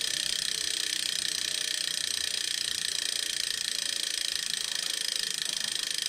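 Fast, even ratcheting rasp with a sharp metallic edge and no low rumble; a gritty mechanical grind from inside the trainer.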